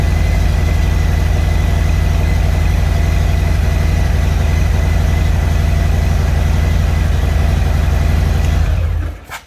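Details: 2021 Harley-Davidson Road Glide Special: loud lumpy V-twin idle with a steady loose rattle on each beat, cause unclear, then the engine shuts off.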